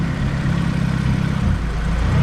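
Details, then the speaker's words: 1993 Honda Civic EG hatchback with a new Skunk2 radiator and Spal electric fan, idling with the heat on full while bleeding the coolant: a strong, steady rush of air, even and free of rattle; the fan works properly. "this fan is awesome it makes my old fans seem like a toy"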